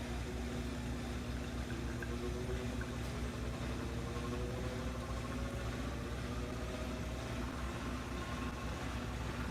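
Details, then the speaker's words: Comfee 0.9 cu.ft portable washer (CLV09N1AMG) on a rinse, set to two rinses: soft low motor hum with slowly rising tone and water swishing as the tub spins fast, no knocks or banging; quiet, normal operation that spins clothes almost dry. "it's doing a rinse i have it set on two rinses look how fast it's moving [Music] it runs so smooth that it gets everything almost dry"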